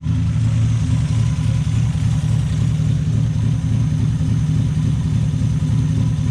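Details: Cheap Miata with a cam, pulled from a field, jump-started: loud steady low engine drone with fast pulsing beat, revving hard; lift-off noise not clearly picked out, cause uncertain.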